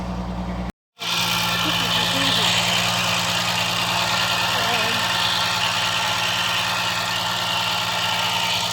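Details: Peugeot 505 V6 manual, hard-start after over two months sitting: after a short dropout the engine settles into a steady, even idle with constant hum and no knocks; sounds healthy, spark plug replacement still planned.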